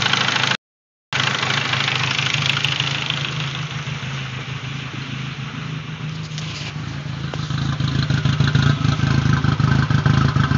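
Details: 2001 VW GTI 1.8T, freshly rebuilt with 180 psi compression on all cylinders, runs with a lumpy, uneven idle and irregular stumbles since first start-up after swapping the failed stock K03 for a K04-01 (K03S) turbo; misfire, cause not found.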